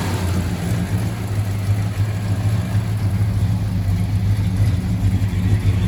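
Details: 1968 Dodge Charger barn find V8 on fresh non-ethanol gas with Seafoam, after first start: deep, even rumble, steady beat with mild rev rises, no knocks or misses; runs cleanly.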